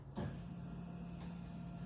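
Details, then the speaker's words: Nissan D22 Navara with VK45 V8 swap on the hoist, key on and engine off: a quiet, steady electric hum starts suddenly as the fuel pump primes, because a faulty crank angle sensor wire makes contact and the ECU thinks the engine moved. "You just heard the fuel pump fire up. It's because the poor ECU thinks the engine's moved, just because it's made connection from that dodgy wire there."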